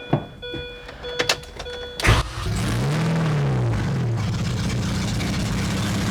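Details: 2006 Mini Cooper S R53 after cylinder head replacement: after some clicks it cranks, catches, flares briefly, then settles into a steady, even idle with no knock or rattle; oil pressure good, no leaks; normal idle.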